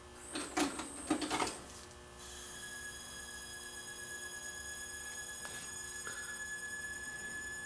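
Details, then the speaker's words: Pioneer PDM-703 six-disc cartridge CD changer in for service; after loading clunks a loud steady high-pitched squeal holds during play, attributed to tracking gain set too high. "well it's playing but making quite a loud squealing sound it's gonna take the top off it and see whether we can see where that noise is coming from"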